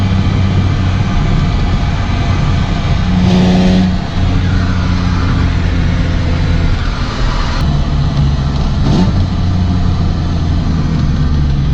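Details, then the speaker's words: Six-cylinder drift car engine, now running much better than before, window open: deep drone with a breathy rush of air swelling on each throttle blip; owner suspects an intake air leak at a hose, with air heard passing on acceleration. "je pense à une prise d'air cac port est en fait ici je sow qui est laid et quand j'accélère on l'entend vraiment l'air qui passe ici"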